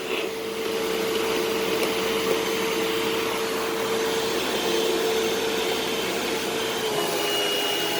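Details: Eureka SmartVac 4870 upright vacuum rebuilt from two broken machines, switched on high-carpet setting: steady even motor roar, constant mid-pitched hum, no rattles or surging; normal running, though the belt later seems to slip slightly.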